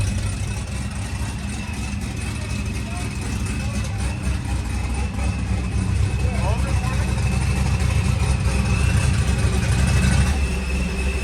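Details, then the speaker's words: ProCharger-supercharged Trans Am V8 (7-8 psi boost) idling with exhaust cutout closed, through muffler: deep, even burble, about four pulses a second, muffled; healthy idle. "That's what it sounds like, closed."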